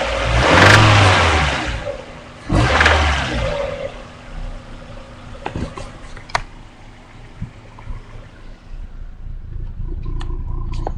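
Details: 1995 Mazda MX-5 Miata, over-revved after a missed shift; head previously removed for ticking and reinstalled: two sharp revs then rough idle with scattered sharp knocks; owner suspects a bad bearing.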